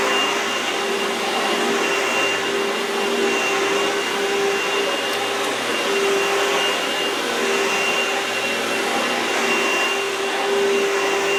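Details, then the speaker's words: Oreck vacuum bench test after replacing the magnesium fan assembly and refitting the intake tube; strong, steady high-pitched rush with a constant whine and no rattles: motor and fan running normally after repair. "Now to make sure everything's working okay, now you can do a bench test if you will. Turn it on."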